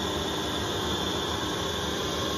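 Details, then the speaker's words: Lathe skimming Fordson Major clutch intermediate plate, about half-mil passes toward the edge: piercing high ring over rough cutting hiss; thin plate resonates and chatters, leaving poor cut quality later buffed smooth and flat. "all right so I've got that out the lathe now it was it was awful to machine it just resonates and vibrates so the cook quality is not brilliant"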